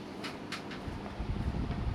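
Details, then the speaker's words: Panasonic fan on speed 5 after masking tape was applied on the upper housing where a hum came from: soft, even rush of air with no humming tone, hum fixed. "Tak ada bunyiah. Yang bunyi sekarang ni kipas angin dia."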